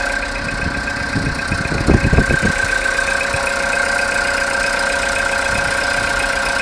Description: Стук в двигателе после запуска после ночной стоянки. Если погазовать то становиться тише. Пропадает после 10 минут прпогрева или после 2-3 минут поездки.